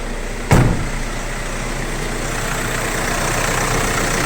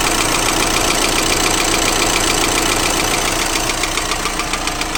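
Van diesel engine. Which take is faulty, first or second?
second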